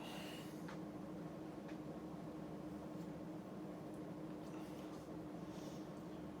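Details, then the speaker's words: Lasko 52-inch "top mount" ceiling fan made by Sanyo circa 1983-84, wood blades at 13-degree pitch, on high speed around 190 rpm; steady low moaning tone over the air rush, a running moan from the motor. "as you can hear the fan has a bit of a running moan to it up on the high speed here but we're cranking around 190 I would say rpms"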